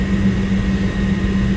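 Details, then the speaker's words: Lennox commercial rooftop unit after gas valve replacement, service test heat stage one: steady even roar with constant low hum, no popping, rumble or flutter; burner lit cleanly, flames look good, gas pressure to be verified with manometer. "as you can see it lit up pretty good I mean Flames look good"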